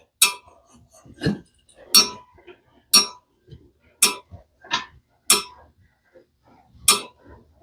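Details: Troy-Bilt mower engine turned by hand with the top cover removed: sharp scraping clicks about once a second as the flywheel magnet catches on an incorrectly fitted cover; fixed by refitting the cover correctly.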